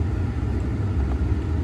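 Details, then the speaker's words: 2010 Ford F-150 after replacing the faulty mode door actuator behind the dash: steady engine and blower rumble, vents switching center to floor with no clicking, transition super quiet. "okay you can hear it switching to the floor it's super quiet the transition"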